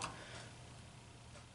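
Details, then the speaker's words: Kerosene torpedo heater being serviced after 7 years of use; pump rotor turned by hand while bolts are snugged evenly gives a few light crisp clicks with no drag or binding; vane pump turns freely. "it would sure be nice to have some torque specs for this apart no binding here the torque you can hear that"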